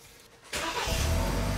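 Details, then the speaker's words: 2013 BMW X3 repaired after a crank-no-start, with the original module reinstalled (the new module was not needed). The engine catches quickly and settles into a steady, even idle: a clean, normal start. "Whoa, there it's running. Yep, it's so running perfectly. It's running fine."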